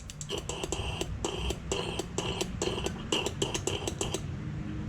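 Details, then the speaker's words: 2009 Cummins 6.7 diesel number three injector energized with air pressure, listening inside injector hole, some fuel vapor: crisp evenly spaced ticks about three per second; solenoid clicking cleanly as it should. "listen careful here a clicking and if you listen inside the hole you can hear it clicking away"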